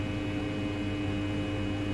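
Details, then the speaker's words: Trianco Aztec electric boiler with unvented cylinder, heating switched on: pump sending flow up through the unit and out the flow, zone valve activating, steady low hum with no rattles or grinding; normal central heating pump running. "you can hear the pump running so this is a pump here which sends a flow up through the unit and out the flow"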